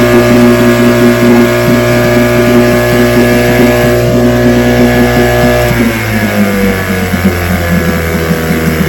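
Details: Vintage outboard two-stroke (restored, then repaired) started Wednesday morning with fuel on, full throttle and no prime, firing on the fifth pull: crisp even firing easing to a slower smooth idle, no misses; it ran five minutes, showing adequate compression.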